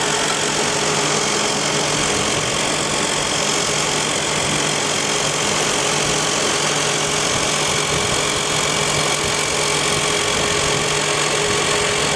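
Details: 2001 Toyota Highlander, all four wheel bearings already replaced: close up at the leaking, probably low differential, a steady hum and faint whine over a loud rushing spin; out-of-round tires from lack of rotation were the real cause.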